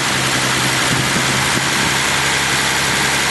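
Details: 1941 Plymouth six-cylinder during restoration ticks over at an even, steady idle under heavy hiss, no misses or knocks, after oil pump, fuel pump and voltage regulator problems were fixed; running smoothly.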